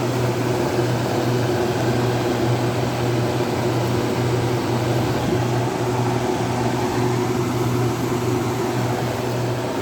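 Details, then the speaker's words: Vintage KitchenAid (by Hobart) dehumidifier, model KDH20, 4.6 amps, made in USA, year unknown, hose draining to pipe: steady low hum with even fan rush, no knocks or rattles; normal running. "But it seems to work pretty good. We'll turn it on real quick. It seems to work really well."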